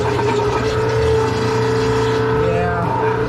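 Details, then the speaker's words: Maytag MVWC416FW0 high-efficiency washer on drain and spin: motor hums with steady whirring tone but basket can be held by hand, not driven; drive motor pulley stripped and slipping, fixed by replacing drive motor W11026785. "that sure doesn't sound right let's see yeah i can hold it see how good would say there's something stripped out in there i shouldn't be able to stop that"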